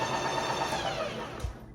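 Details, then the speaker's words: Ninja Creami ice cream maker finishing a spin cycle on frozen Keto Chow mixture: even whirring that gradually quietens and fades as the cycle ends, no knocks or catches; normal end of cycle. "Okay. So I just wanted you to hear how it sounds as it's ending up."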